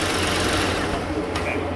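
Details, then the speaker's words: 1st-gen Ford Edge after electric cooling fan assembly replacement (was overheating when parked, A/C blowing hot at idle): engine shut off, fans keep running with a steady airy whir, no rattle or scrape, then slow down; normal cooling fan run-on. "you can hear them now see them hear the fans going yeah that's the fans okay they're slowing down"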